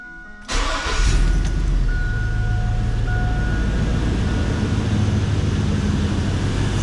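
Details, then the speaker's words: 1999-2008 Chevy Silverado after AC compressor belt and pulley replacement: engine cranks briefly, catches cleanly and settles into an even, steady idle with no knocks or squeals; AC compressor pulley now turning with new belt; normal start and idle. "good so far and it looks good you guys can see right through there the AC compressor corly is now turning it was not turning before cuz it did not have a belt"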